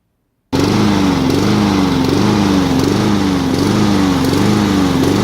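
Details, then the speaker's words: Almost brand-new lawnmower with good spark and compression, run after the carburetor was soaked and cleaned about 70-75%; engine hunts up and down and runs at half choke; suspected still not getting fuel; surging. "the thing still does not run correctly. The fact that it'll run at half choke indicates to me that it's still not getting fuel."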